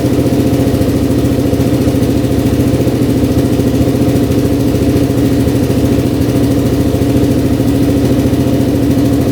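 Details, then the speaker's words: 2003 Kawasaki KFX400 quad, first start after draining very old oil and refilling 2 quarts; steady single-cylinder idle with light uneven tapping on the exhaust beat, a little top-end knock, not bad. Top-end knock at idle. "Let's see if she starts up. little knocking in the top end, but it's not bad at all."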